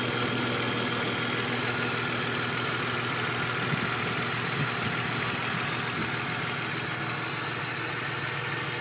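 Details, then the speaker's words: BMW E46 330i turbo, lifters replaced two years ago without helping, tick present before turbocharging, recorded once oil warms: light, quick ticking over steady idle hum from the top end; valve train tick, owner suspects a valve problem. "so now you can hear the tick."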